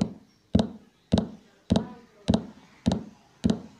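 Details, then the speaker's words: Polytron active speaker, rumbling complaint: heavy thump about every half second, each dying in a blubbering rumble, sounds normal with audio input unplugged; shorted output transistors in the amplifier. "Oke sahabat kerusakannya hidup tapi katanya seperti ada suara gemuruh di dalamnya"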